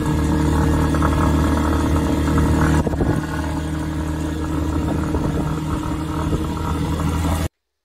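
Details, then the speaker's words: Rusi Nova SS150 motorcycle at idle: light, fairly regular tick about four per second over low engine drone; owner unsure whether fuel or spark plug (plug rusts easily); engine ticking noise, source unknown. "Tapos guys, ang pinakamatindi kong experience dito yung yung lagatik-lagatik yung sa makina. Oo, merong tunog sa makina na hindi ko mawari kung ano yon."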